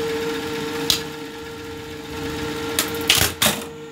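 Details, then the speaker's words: Buttonhole machine run slowly after oiling the reservoir under the cam, not yet fully topped up: quiet steady motor hum, no clatter from the head, noise much reduced from before, running smoothly. "ये देखिए दोस्तों, इसकी आवाज़ जो है वो बिल्कुल पहले से बहुत ज़्यादा कम हो गई है।"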